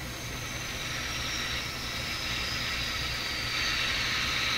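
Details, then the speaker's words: RCA Victor RC-1064 five-tube AM radio switched on during final alignment at high volume: steady hiss with high crackle, slowly getting louder, no station underneath; owner blames interference from computers in the neighborhood. "See, I'm supposed to have the radio turned up full volume. In a quiet, back in the 1950s, you could do that. But if you do that today, you just hear your computer and everybody else's in the neighborhood."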